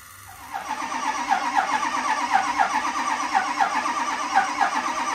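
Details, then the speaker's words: Ford 6.0 Powerstroke diesel after injector work, started after pump prime: cranks and catches into pulsing, slightly uneven idle clatter; still runs rough from faulty injector 7, also fuel leaks and suspected oil cooler problem. "And we also need injector 7, so lucky me, I gotta take that apart again."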